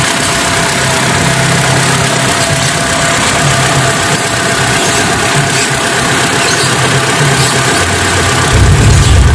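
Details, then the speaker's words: Hyundai Atoz GLS 2001 idling with AC off just after an oil change to Prima XP 20W-50: steady, even idle with a smooth low hum, no knocks or misses; normal. "Jadi beginilah bunyinya setelah mengganti oli ke 20W-50."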